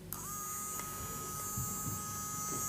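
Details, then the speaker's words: JGY 370 12V gear motor, the 62 RPM unit on 12V, which could not be stopped by hand: it starts with a click, then holds a steady, fairly loud high whine, definitely louder than the others. Normal gear motor hum. "Yes definitely इसकी आवाज थोड़ी ज्यादा है"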